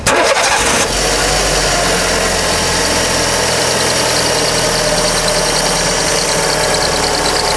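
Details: Fiat Fire-engine car (Siena/Palio type), cold start: engine catches and settles to idle under a steady high hissing squeal from the small power steering belt slipping; original belt suspected.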